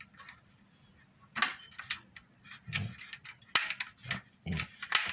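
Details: Portable gas stove after repair of no gas flow/blocked gas: a few sharp crisp snaps spaced a second or more apart amid handling noise; piezo igniter sparking properly.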